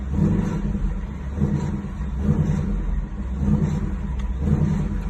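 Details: 2019 Mustang GT V8, 10-speed automatic, after TSB 19-2140 (no change): deep drone swelling and dipping about once a second with odd extra noise on throttle lift-off; cause unclear; engine noise on throttle lift-off.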